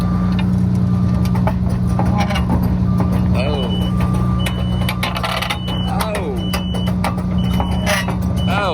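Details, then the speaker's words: Used excavator, one track lifted off the ground and turning: steady diesel drone with irregular metallic clanks and slaps; bent, broken and missing track pads banging through. "that's not good there we go missing pad right there a broken one oh man this thing just this whole tread is not that's not too happy"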